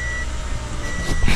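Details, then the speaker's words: 2013 Toyota Camry, cold start: deep, slow, uneven idle with rough shaking vibration, rpm very low and dropping below about 500 as the engine warms; carbon-fouled throttle body starving idle air, fixed by throttle body cleaning. "i'm going to start up the engine and this car vibrates okay you can feel the vibration because the rpm pay attention to the rpm rpm is very low"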